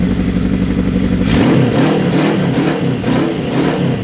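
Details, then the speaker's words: 1979 Suzuki GS750 four-cylinder with rebuilt carbs, first run in over a year: a steady idle, then a crisp rev that rises and settles cleanly with a smooth, strong note; normal healthy running and revving. "That's the best she's had in years, man. Woohoo! Sounded like a little bit better what she was."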